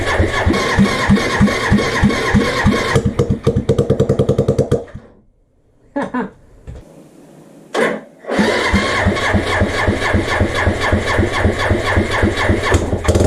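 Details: Suzuki GN250 single during reassembly, first start with mock-up wiring: it catches with sharp pops, falters and cuts out, then fires again and settles into a steady thumping idle; it runs properly.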